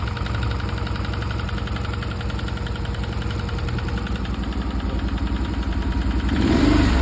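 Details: Stels Guepard 650G ATV engine at idle with a steady, fairly regular knock about 220 per minute, louder as revs rise at the end; cause unclear; engine knock.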